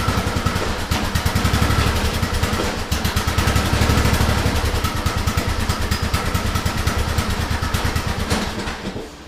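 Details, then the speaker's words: TroyBilt riding mower dated April 2008, which shuts off after 15–25 minutes: after the blades are engaged, an uneven, stumbling chug sags and dies as the engine stalls under load. The cause is unknown; the coil has been suggested. "All right, so y'all just heard the way that that right there just shut down automatically by itself."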